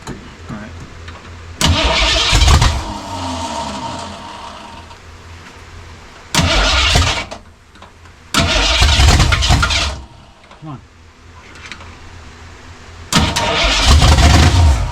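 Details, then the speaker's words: 1967 Mustang drag car at its first start attempt, with a carburetor whose accelerator pump is dead and a fuel delivery problem: bursts of cranking with ragged firing attempts that never catch; fuel starvation suspected. "This is encouraging, Walter. I didn't think this beast would light up. Kind of. It's not quite lighting up. It's thinking about it."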